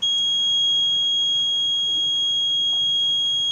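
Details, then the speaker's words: Fire security alarm panel: steady piercing high tone continues unbroken after system reset; alarm not cleared, suspected because the key is still inserted and must be removed before resetting. "masih bunyi, kayaknya itunya masih kecolok."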